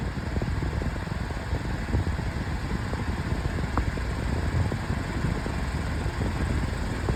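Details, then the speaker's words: Metal-bladed pedestal fan on high: steady rush with a rough, uneven flutter and scattered light taps; loud metal fan, blade out of balance. "It is out of balance, but it is but it is a metal fan. But, of course, being a metal fan, it is loud."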